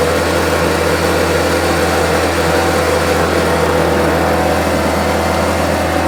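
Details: Homelite UT08572 string trimmer, small two-stroke, tested outside after repairs: steady drone holding even speed without surging or stalling, running firmly. Owner will check whether an earlier "tink" noise is gone. Normal running.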